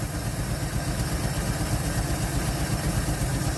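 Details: 1948 Chevy inline six, off the road since 1968, just restarted and pulling fuel from the tank on very old gas: steady, even low idle about four beats a second, no misses or knocks; running like a sewing machine, idle later picks up, normal.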